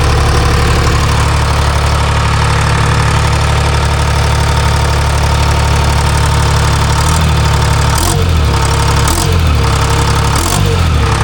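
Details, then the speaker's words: Timberjack skidder diesel just after a motor swap with a transferred governor and a replaced N50 injector: heavy, steady, even thrum pulsing about four times a second, with brief throttle changes, sounding better. Normal idle. "Sounds better. Better. Yeah. Let's see how she fires."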